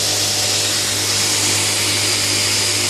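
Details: Newly built DIY 72" x 2" belt grinder on its first run: even high rushing belt hiss over a low steady hum, no thumping or flutter. It runs smoothly.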